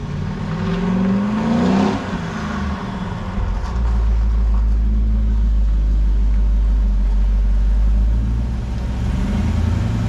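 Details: Rebuilt 400ci small-block Chevy V8 (new bearings, rings, machined crank) in a 5-speed S10, first run after rebuild with 65 psi oil pressure: deep, even rumble rising smoothly with throttle and settling back, no ticking or knocking; no weird noises.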